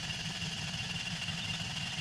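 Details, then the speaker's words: $400 Toyota Corolla being rebuilt after an engine knock (worn bearings, cylinder 4 worst), 4 quarts of oil, fuel and spark disconnected, belts off: steady starter whir with even pulses, no firing, cranking to build oil pressure. "O2 sensors, fans, water pump, none of the other belts are on. So yeah, we're literally just cranking for"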